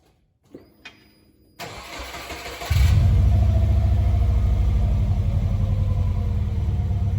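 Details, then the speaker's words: Subaru B4 after installing a new aftermarket muffler can: brief crank, catches, settles to an even, deep but mild exhaust note; owner says it sounds better than the open pipe, not very loud, as wanted. "i don't know to me it sounds better than it did with the open pipe it's not very loud but that's okay i didn't want it to be like super noisy or anything"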